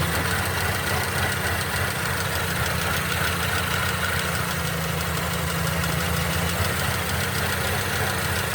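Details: Mercedes-Benz M271 1.8 CGI Kompressor engine at steady idle: rough, irregular knocking patter about three per second riding over the hum; an abnormal internal noise worth tracing.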